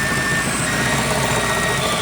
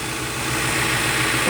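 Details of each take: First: Ford throttle body with IAC on a recently installed MPFI system, before repair. A loud steady idle carries a thin high whistle, from air rushing past sharp edges in the throttle body/IAC passages. It changes as the IAC opens and closes. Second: Ford MPFI intake after sharp edges in the intake were smoothed and a 1/8" hole was drilled in the throttle plate. Steady idle with a soft airy hiss and no droning resonance: the intake resonance is fixed.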